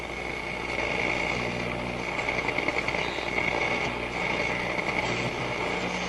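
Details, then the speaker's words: Telefunken Atlanta 101 radio, fixed by cleaning the push-button switches and hooked to an outdoor antenna, on medium wave 1 (520–1400): constant rushing static over a low hum with no clear signal; AM band static, cause not confirmed. "Okay. Again, we're just hearing mostly noise. But that's okay."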